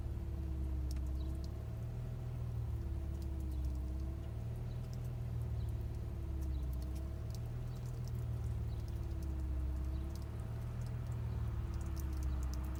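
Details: Subaru 3.0R at quiet idle: uneven low thump with a recurring stumble every couple of seconds; bank 2 misfire, codes P0302/P0304/P0306, EGR, fuel pressure, PCV, MAF, vacuum and new plugs checked good; cause unknown.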